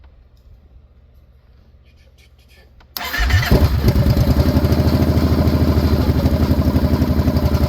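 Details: 2014 Kawasaki Brute Force 750 fuel-injected V-twin ATV, previously no-start, after repairs: quiet at first, then the engine catches almost instantly and settles into a steady, even idle with no misses; normal start and idle.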